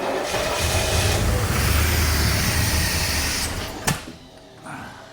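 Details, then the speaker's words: 1984 Corvette C4 with Crossfire Injection, parked over 20 years, run on fuel poured down the intake: fires and runs a few seconds with an even rumbling beat before dying, no knocking or odd noises; sounds okay. "It runs. I don't hear anything crazy. I think it's okay."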